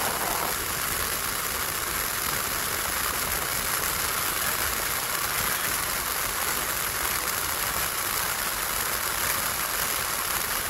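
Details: 1981 VW Rabbit (MK1) A/C heater blower motor, failed from bad bushing, after disassembly, cleaning and rebuild, reinstalled; steady even fan rush with no ticking, scraping or wobble; blower runs smoothly and healthy after repair.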